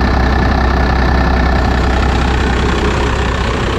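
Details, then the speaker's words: Second-gen 12-valve Cummins diesel with a straight pipe, after a valve lash adjustment, idling: loud, deep, steady rumble with no tapping or misses. Sounds healthy. "it sounds like a 12-valve"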